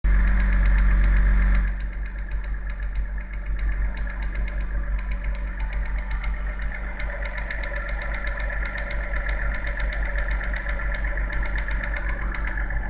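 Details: BMW N52B30 inline-six on cold start at fast idle: a steady ticking knock about two or three times a second over the hum. It disappears after warm-up once revs drop to idle; source unclear.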